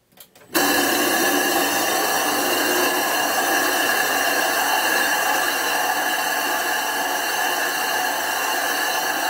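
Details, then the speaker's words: Grinding the back of a 2-inch-thick, roughly 70-pound 25-inch F3 telescope mirror blank to thin and flatten it: loud steady howl with gritty hiss as abrasive bites, the normal sound of proper grinding. "you want to hear that howling grinding sound if it's not howling it's not grinding"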